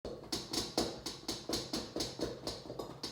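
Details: LG refrigerator model LSXC22396S compressor: sharp, uneven tapping knocks about twice a second while the fridge is stationary, though this noise is supposed to occur only when moving it; abnormal compressor knocking, cause unknown.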